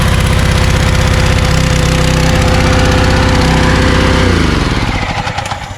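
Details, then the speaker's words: Kärcher pressure washer, small engine, after repair: steady even running under pump load, then winds down and stops; normal, pump pressure very high. "so i would say that it works because the pressure was really really high so hard that um if i put my hand halfway through the stream it it hurts you know so i think the pump works"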